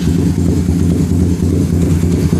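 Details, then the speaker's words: Suzuki Satria Fi150 just started, idling slow and loping with a deep, uneven thump; idle only about two bars on the tachometer, too low, raised by turning the idle adjustment screw on the throttle body. "Oke. Sebelumnya, putaran idle hanya dua bar. Saya ingin meningkatkan putaran mesin saat idle."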